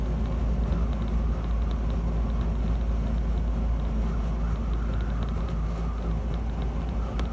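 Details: 1976 Land Rover Series 3 109 with a 2.25 petrol engine, driving before exhaust replacement. The exhaust is holed and blowing at the manifold, with a botched over-long bolt in a stripped stud, giving a loud, deep, rough roar and drone with a raw blowing edge.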